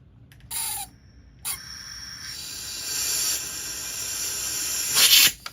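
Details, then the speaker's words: RAW HM1000x PCP air rifle filled to 200 bar, steady high hiss of air escaping near the breech after O-ring replacement failed; high-pressure leak. Owner suspects worn O-rings inside the brass valve. "Well, we are at 200 bar. I hear something leaking."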